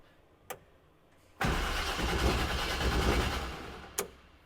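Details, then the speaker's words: CJ7 Jeep engine that runs on propane, cranked by jumping the starter with the propane not hooked up and spark plugs and wires still to be replaced: about two seconds of steady, strong cranking with no firing; normal starter cranking. "it won't start up right now cuz propane's not hooked up and I got to do spark plugs and wires"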